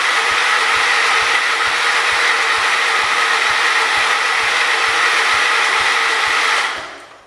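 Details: John Deere 212 garden tractor, a donor that sat about a year, on a borrowed battery and now showing spark: steady cranking pulses about two a second that then wind down without catching. It cranks but won't start; fuel is to be added next.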